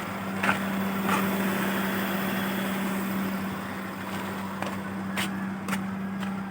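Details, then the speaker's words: Hyundai Atoz, long-stored, high idle fixed by adjusting stepper motor to an estimated 850–900 rpm unloaded; steady low idle hum holds with AC compressor engaged, no hunting or on-off cycling, a few light clicks. Normal idle with AC on. "Karena kalau ini kita turunkan sedikit, nanti dia AC-nya on off gitu, nggak bisa on. Kita on kan AC-nya."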